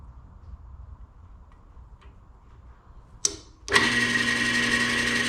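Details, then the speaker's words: Old band saw motor, bare-wired test while clamped to a table: starts instantly, smooth steady hum with constant whine, no rattle or grinding; motor works. "that sounds pretty good sounds pretty good okay so we know the motor works"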